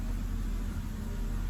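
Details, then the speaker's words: BMW E90 six-cylinder at idle after repair of loose bearing cap bolts on the valvetrain (P0300, low compression, no-start), new spark plugs and coolant bled: low steady rumble with no misfire or ticking; healthy smooth idle. "so that's it guys as you guys can hear e90 is running smoothly again no issues no check light or nothing like that is in the back"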